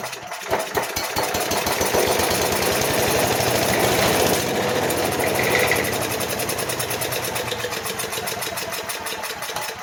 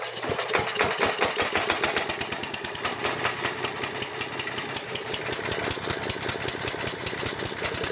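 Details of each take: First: Craftsman/MTD 5 hp chipper/shredder, Briggs & Stratton 133412-0059-01, sat outside about 10 years, fuel poured into carb: cranks, catches, runs rough seconds, then dies; corroded carb not delivering fuel, bowl dry. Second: Craftsman/MTD chipper-shredder, 5 hp Briggs & Stratton 133412-0059-01, sat about 10 years outdoors, after carburetor replacement and linkage repair: fires steadily at a fast even rate, clean crisp bark, no hunting or surging; runs properly.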